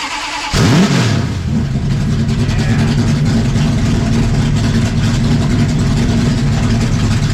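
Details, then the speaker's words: 1974 Charger with a 440 V8 making about 422 hp through a stubby open X-pipe: cranks, catches, one sharp rev, then a deep steady idle tuned more mellow; healthy start, rev and idle. "So I made it a little bit more mellow and idle, but when you wrap it up, it sounds like we're spinning like 2,000 RPM more than we really are."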